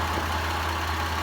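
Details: Land Cruiser 80 series at idle after the battery connections were fixed for a no-start, the leaking distributor O-ring was replaced and the engine was tuned up. Steady, even idle with a smooth low hum and no knocks, misses or ticks; it runs normally.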